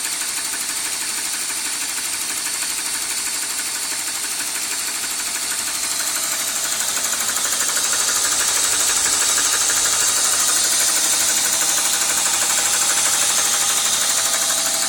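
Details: 1998 BMW 528i petrol six idling with quick steady ticking/tapping noise; owner wonders about VANOS, cause unknown.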